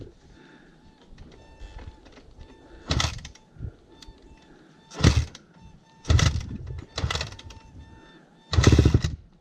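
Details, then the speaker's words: Honda CRF250 dirt bike engine after it randomly shut off and the rear tire locked mid-ride; five short throttle blips flare then drop almost instantly, something dragging inside the engine. "yeah it doesn't sound too good he just wants to idle down really quick that means something is really dragging inside the engine"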